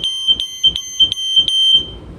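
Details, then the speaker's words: Sears 302.57475 smoke alarm with silencer triggered, now sounding reliably; loud shrill clean chirps about three a second, pitch heard as about F sharp. Normal alarm tone. "you know to me it sounds more like F sharp"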